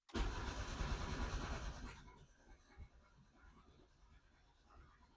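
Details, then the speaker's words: Yugo, first start attempt on ethanol-free TruFuel with two-stroke oil, pumped: strong steady cranking for two seconds with a brief catch, then dies away; fires but won't keep running. "Boys, I'm telling you what, she was close to being a runner there."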